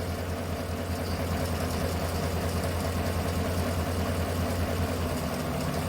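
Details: 2018 Chevrolet Tahoe idling with an uneven lumpy miss, codes P0300 random misfire and P0208 cylinder 8 injector circuit; injector activity shows on cylinders 1–7 but not 8; plugs changed and injector cleaned; dead cylinder 8 injector circuit causing misfire.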